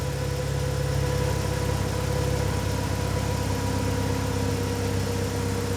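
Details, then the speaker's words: BMW 116i E87, N45B16 1.6L race car, remapped ECU, special exhaust, warming from cold, oxygen sensor starting to swing: even four-cylinder idle, steady low rumble, engine speed changing, no knock; normal cold idle. "but the car's gradually getting warmer and you can hear the car um engine speeds changing"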